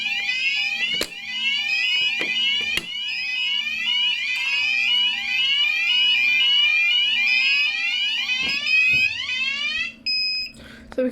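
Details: Fike Twinplex Pro fire alarm panel during a system test; a KAC call point, taped in place, is pressed: shrill tone sweeps upward three to four times a second, then cuts off. Alarm activated.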